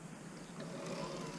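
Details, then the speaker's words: Newly fitted Bafang bottom-bracket mid-drive e-bike kit. The throttle turns the chain, with speed depending on the gear selected, and assist kicks in automatically when pedalling. Faint smooth whine rises and settles, with no grinding or clicks. Normal motor operation. "I'll just push the throttle and the chain goes around. And obviously the speed depends which gear you're in, so if you change to the higher gears, it goes faster, basically. And yeah, it's the same if you pedal, it automatically kicks"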